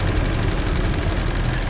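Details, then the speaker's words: 2021 Hyundai Venue idling with the hood open: fast, even light ticking over a smooth idle, the normal direct-injection injector ticking of a healthy engine with no smoke or leaks. "no problems at all man she just a good car hear that good old direct injection ticking"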